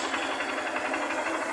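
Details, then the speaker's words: 2009 Honda Fan 125 after replacing the cam chain and the complete worn clutch: light, even ticking idle with no rattle or clatter from the top end; engine now quiet, confirming the cam chain was the cause; normal idle. "eu acabei de finalizar rapaziada 125 do barulho do motor É isso mesmo então realmente era corrente de comando galera inclusive dela ficou bem caladinho"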